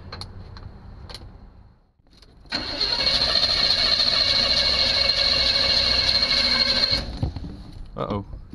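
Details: 1976 Chevy Chevelle with Edelbrock carburetor, bowl primed with gas, no oil pressure yet, nothing lit on the dash: starter cranks steadily about four seconds with an even churn but never fires; no spark.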